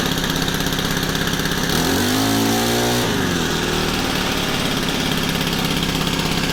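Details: Honda FG110 with GX25 engine, idle set high during carb tuning to warm it: fast steady idle with a brief pitch wobble, then settles evenly; normal high idle.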